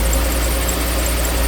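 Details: 2013 Jeep Grand Cherokee 3.6 at idle after oil pressure switch replacement (switch under intake by oil cooler), upper and lower intake and breather tube refitted; steady, even low hum with no knocks or ticks, smooth settled normal idle.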